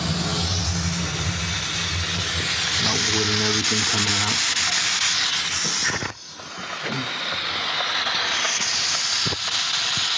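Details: Steam boiler on a heating service call, using water faster than usual and locking out on low water cutoff: loud steady hiss drowns out the burner rumble, dips briefly, then returns. Steam leaking from the main air vent.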